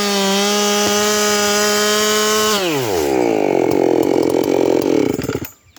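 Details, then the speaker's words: 7310 chainsaw cutting with a test chain: it screams at high revs as if unloaded, typical of ported saws; rakers fine, chain grabbing hard and throwing big chips. "But you can hear how the thing's screaming to the moon like it's got no load. My ported saws typically run a skip like that. The saw acts like that. There's no load on it."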